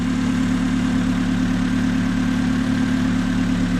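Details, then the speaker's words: Honda-engine-swapped 1976 Mini Estate after plugging in the MAP sensor correctly: smooth, steady idle with even low hum, no hunting, misfire or knock; healthy. "like a nice healthy honda motor"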